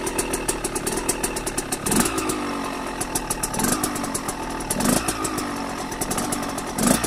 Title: KTM 125 SX first start after rebuild